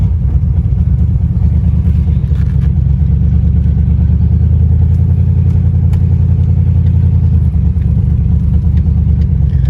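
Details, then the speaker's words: Land Rover Discovery under way with a loud, raspy, blatty low rumble from a bad exhaust leak underneath, which smoked at idle; the transmission shifts through the gears. "Obviously it's got a really bad exhaust leak. When I had it outside idling, a lot of smoke coming from underneath the car, where that exhaust leak is."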